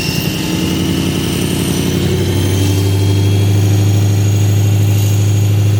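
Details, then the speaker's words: Abandoned BMW M3 V8 with six-speed manual: rough idle with a steady low drone and an uneven beat; owner can't tell whether the noise is transmission or engine and plans a rod bearing kit. "it doesn't sound [Music] good I can't tell if it's noise from the transmission or from the [Music]"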